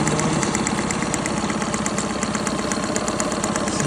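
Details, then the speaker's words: Honda BF20 20hp outboard, about 30-40 hours, past warranty, idling after running 20-30 minutes: sharp light metallic tick about three per second from one area at idle, lessening the longer it runs. "like it's coming from this area here. Motor has been running for about 20 minutes to half an hour now. And the longer the runs, the less crazy gets."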